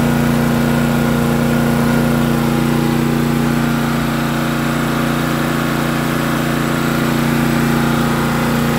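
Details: Honda EG2500 generator, first start after sitting an unknown time in a trailer, with clean oil and gas: a steady, even hum with no surging or hunting; it runs smoothly and output voltages are within spec.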